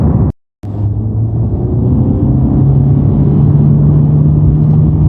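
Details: Honda Civic Type R at idle: a steady low buzz comes in and holds while the clutch pedal is depressed; source unclear, possibly the release bearing.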